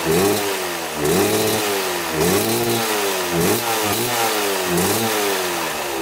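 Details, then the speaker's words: 1995 Kawasaki KX250 two-stroke dirt bike after carburetor cleaning and big carburetor adjustment: crisp steady idle, clean pickup on throttle blips, smoking from exhaust; running well. "all right got your idling we had to make a huge adjustment up here this came out right here and you had a backpack out really far and then we adjusted it with the uh the actual adjuster down there and now it's running perfect"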